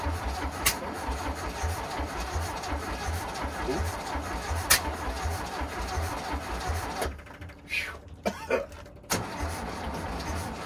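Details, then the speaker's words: VW Bus engine neglected about 30 years, out of the vehicle, carburetors untuned, auto chokes opening, battery tiring: even chugging crank rhythm for several seconds without catching, then stops. Extended cranking, no start. "Battery's getting a bit tired. >> Yeah, I was going to say."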